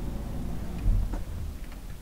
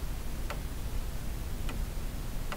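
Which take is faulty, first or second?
second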